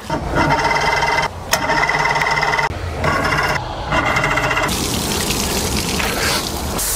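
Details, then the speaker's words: Mercury Force 120 four-cylinder outboard, dead 12 years; repeated high, steady whirring bursts without the engine catching, then a rough rush. The starter won't disengage. Owner suspects a carburetor problem and plans to clean or rebuild them. "Starter doesn't want to disengage either."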